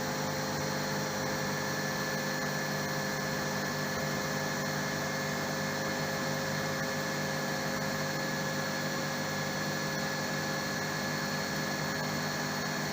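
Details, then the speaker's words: RO plant digital panel in auto mode, raw water pump then high-pressure pump switching on during a one-minute flush: steady, unchanging motor hum with a constant whirring whine and no knocks or surging; the pumps run normally. "ये अभी तो raw water pump चल रहा है, अब ये चल गया, ऑन हो गया, हाई प्रेशर पंप भी चालू हो गया।"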